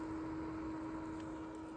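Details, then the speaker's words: Yaesu FT-710 AESS transceiver on receive only, never transmitted, volume down: a quiet, steady fan hum that never stops; the FTdx10 does not do this; cooling fan running constantly. "you hear that hum it's the fan the fan runs it's right here the fan runs constantly"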